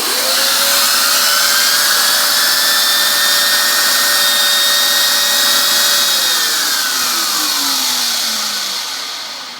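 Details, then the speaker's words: Bissell vacuum turbo brush, somewhat clogged, running before cleaning: a high steady whine that slides down as it spins off, slower than it should be. Clogging lowers its RPM, and cleaning should restore factory speed. "Yeah, I know it can go faster than that."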